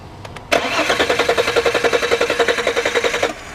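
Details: 2002 VW Passat 2.8L V6, intermittent no start after stalling on a road test: steady cranking about 3.5 beats per second, never catches; no spark or injector pulse, faulty crank sensor (fuel pump and relay already replaced).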